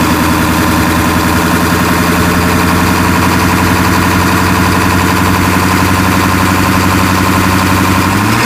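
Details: 1996 Ford F-350 7.3L Powerstroke diesel after replacing cracked, failed fuel pressure regulator and fuel bowl: steady even idle with constant low drone and fine clatter, no hunting; sounds normal.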